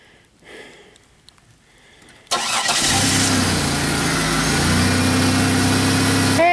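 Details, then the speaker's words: 2001 Bonneville with check engine light and misfire complaint, after a coil was replaced, on a 42-degree day: quiet, then the engine cranks, catches and settles into a steady, even idle with no stumble or chugging. "no more chugga-chugga normal Chucky Chucky"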